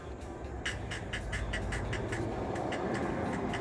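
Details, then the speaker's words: 4th-gen Ram Cummins, new Fox 2.0 rear shocks with about 1,000 miles, squeaking for the last 500; bolts were tightened, the top to 65 ft-lb, with no change: a sharp, high squeak about four times per second with each small push on the rear, both rear shocks squeaking; owner blames the shocks. "it's just that little bit of push and you're going to hear that on every bump now both backs are doing that"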